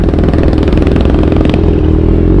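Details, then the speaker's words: Kawasaki Z1000R after backfire removal service: crisp, even engine beat picks up cleanly as throttle rises; no popping or backfire, smooth and more responsive. "Okay na wala ng putput si zus satisfied naman ako sa service"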